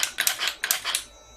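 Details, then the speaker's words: 1995 Mercedes SL500 repaired throttle body on bench test rig with e-gas module, no ASR module: quick bursts of light whirring and clicking as the plate snaps open and shut, working normally. "But as you can see, it works fine."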